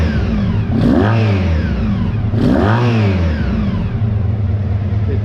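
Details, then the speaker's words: 1985 Honda VF1000R V4, restored and then left unrun for years, after a carb clean and carb balancing: it blips up twice, revs out cleanly and drops straight back to a steady, slightly fast idle, fixing the poor idle. "it's revving out nicely and it's returning to idle nicely so yeah I'm happy with that that's addressed the uh the idle issue"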